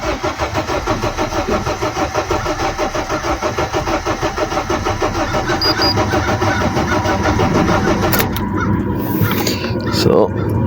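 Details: Honda Civic 8th gen with no spark, no fuel fault, cranked with a scanner plugged in showing zero codes after battery disconnection; even cranking about ninety-five beats a minute for eight seconds, never catches; cranks, no start.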